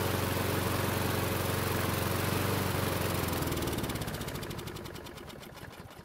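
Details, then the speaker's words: Craftsman mower that stalls when hot; warm engine, choke open, fuel sprayed into the carb: the flathead restarts and runs steadily, then firing thins and it coasts to a stop on its own, pointing to fuel starvation, possibly water in the carb bowl. "so something strange just happened the engine restarted with the extra fuel which would point to a starvation issue also the engine stopped running on its own which shouldn't have happened"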